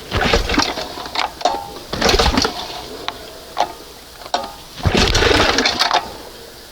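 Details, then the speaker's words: 1971 Johnson 20 hp two-stroke outboard, choke closed, one primer pump: uneven rope pulls and rattling but never catches; owner believes flooded, soaking wet with fuel; cranks but will not start. "It's got to be flooded. It's just There's so much fuel up here. It's ridiculous."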